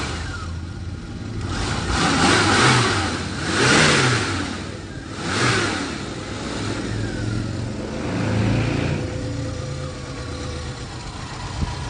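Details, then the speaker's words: Dacia 1410 Sport, rebuilt 1986 carbureted four-cylinder Renault-derived engine: catches, settles to even idle, revs cleanly through several blips, no knocks or misses; normal idle and revving. "Let's not upset the environmentalists with idling the engine. But yeah, that's the sound of the freedom in the 80s."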